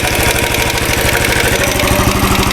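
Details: 2013 Royal Enfield Classic 500 single, rebuilt after a stray M5x35 bolt was found in the oil; at idle a quick even tinny clatter on each firing pulse from the top end, heard via screwdriver stethoscope; owner plans to check tappets and rockers, cause unclear.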